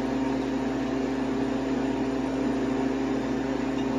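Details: New Harvest Right freeze dryer on its first bread run, freezing stage about an hour in at 7°F: constant low hum, steady compressor tone and soft fan rush, no rattles or surging; running normally.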